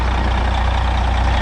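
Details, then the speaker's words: White GMC diesel truck, left running after finally being moved: deep, even idle with a steady low throb and no knocks or misses. Owner says idle's okay. Normal idle; brakes still need work. "but hey at least it's moved it's running don't sound bad for what it is idle's okay"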